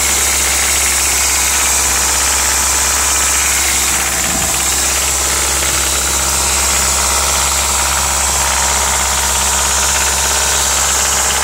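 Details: Audi S3 1.8T 20-valve turbo four at idle: light, uneven metallic rattle chattering over the engine hum; source not identified; engine rattle.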